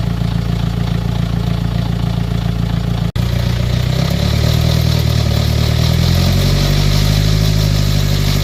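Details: BMW X3 after timing chain replacement at 216,000 km to fix a rattle: deep, even idle then smooth rev climb with no metallic rattle; engine sounds healthy.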